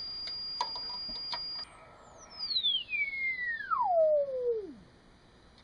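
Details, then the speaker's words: AN/ARC-5 command receiver alignment, turning the side-mounted BFO adjustment: a whistle glides down in pitch until it drops out at zero beat, so the BFO is on the correct frequency. "the bfo adjustment which is on the side of the receiver until we get zero"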